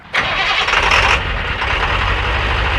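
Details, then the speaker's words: 7.3 liter diesel after replacing glow plug controller and relay in the cold start system: short crank, then catches immediately and settles into a steady, even idle; starts right up, a huge improvement. "It started right up. That's a huge improvement."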